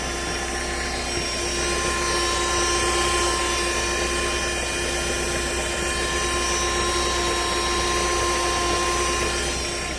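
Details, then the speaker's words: 1.4 Fire petrol engine at idle with a steady shrill whine like a bad bearing, unchanged with the accessory belts removed. Felt vibrating at the oil filter below the pump, so the oil filter is suspected; the timing belt tensioner and water pump are unchecked. "Eu peguei no filtro ali, ele tá vibrando esse barulho forte aí."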